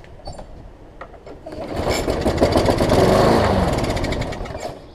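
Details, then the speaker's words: Yard Man push mower, started on carb spray with a temporary fix where the spring broke: it catches, climbs to a fast, even rev, holds briefly, then eases off cleanly; normal running. "i want to hear it rev up when i first crank it up that's all i really want to hear"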